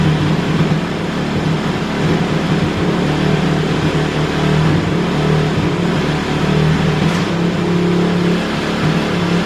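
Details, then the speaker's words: Kawasaki KLX450R four-stroke with an FCR carburetor, warmed up: steady raised idle that hangs high without settling. It is running very lean and instantly running hot, so the fuel screw and idle need adjusting. "right so it's uh definitely running very lean that's why the idle kind of is jacked up"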